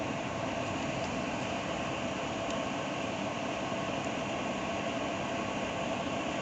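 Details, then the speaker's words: Maxx Air fan after electric motor and circuit board replacement, bench tested at 100 percent speed: smooth, even airy rush with no knocks, rattles or wavering pitch; running properly. "and that's working which is great i'm going to go ahead and let this run at 50 here for about 10 minutes"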